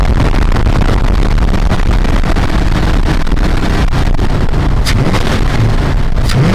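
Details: Square-body Dodge Ram after a no-start repair, PCM powered through a fused jumper in place of the missing white fusible link (20 A max draw): loud, steady engine roar with some wind on the mic, no stumbling, misfire or dying out.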